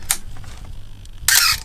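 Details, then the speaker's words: Canon A1 film camera with 135 mm lens, shutter fired at 1/1000 before repair: quick release then a longer harsh high-pitched squeaky whirr instead of a clean snap, pointing to a seized part in the mechanism. "Vous voyez, pas du tout le même bruit. Donc ça veut dire que il y a un élément qui est grippé. Donc on ira voir comment corriger ça."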